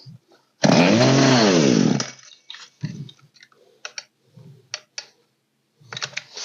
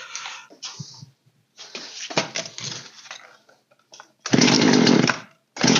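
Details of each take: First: Poulan P3816 chainsaw (16in bar), old green model, after carburetor repair with low/high mixture and idle screws adjusted: saw screams up on throttle in crisp bursts, then drops back and ticks over quietly; it runs and holds idle. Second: Old Poulan 3616 chainsaw on first start after carb setup (low screw opened 1.5 turns, high 1 turn); short raspy bursts that catch and die within about a second each time; it stalls after starting because idle is set too low.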